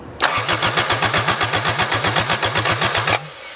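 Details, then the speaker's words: Toyota AE86 engine just reinstalled, cranked with spark plugs in and plug wires off: steady, evenly spaced compression pulses of about four per second, no lumps or skips; normal even cranking. "sounds pretty good that's very even yeah that's dead-on even sounds pretty good doesn't it"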